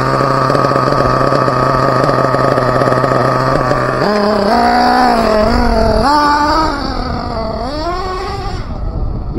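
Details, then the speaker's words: Team Associated MGT nitro truck being tuned, low-speed needle leaned, engine hot: it wails and surges unevenly with a ragged edge, sounding like it is running out of teeth; suspected gear skipping, receiver also suspected failing, idle gap suspected closing. "soon M that sounded weird let's bring her in like she's running out of she's running out of teeth"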